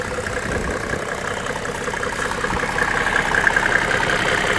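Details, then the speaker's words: 1995 Mercedes E300 diesel (W124), over a quarter million miles: an even, steady diesel clatter at idle with no extra knock or miss. It idles healthy and quieter than a friend's lower-mileage one. "even my good friend David that has the black one with only a hundred and thirty or forty thousand dollars I'll forget this one is more quieter it is"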